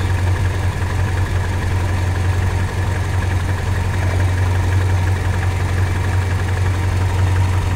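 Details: Toyota Kijang with points-type distributor: low, steady idle rumble with slightly uneven pulse and extra shake; idle dropped and ignition timing retarded from about 15 degrees after adjusting the points gap, giving rough idle.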